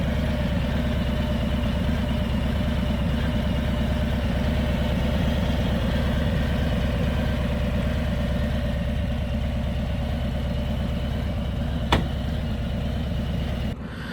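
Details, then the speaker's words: Harley Low Rider S V-twin at idle, just fitted Dark Horse Crankworks Man O War compensator, full pipes: marbles-in-pocket rattle over steady idle, earlier whistling possibly before warm-up; compensator rattle at idle, judged not that bad. "Now it just sounds like you have like marbles in your pocket. That's what it sounds like. Alright, so you can kind of hear it. Not that bad."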